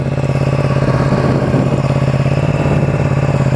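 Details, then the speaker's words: Motorcycle cold start at 3 °C: quick even pulsing clatter over a low hum, the noise clearly audible from cold, cause not stated; cold start noise. "Et là on a 3 degrés, on a chaud, hein. C'est fou. Alors voilà, à froid, on entend bien le bruit."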